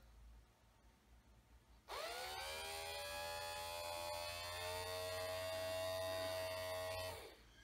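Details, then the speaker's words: 1965-66 Thunderbird power window motor after cleaning, greasing and reassembly, bench-run on direct power: quick smooth even whine, no grinding or binding; works. "good. Go the other way now. Great."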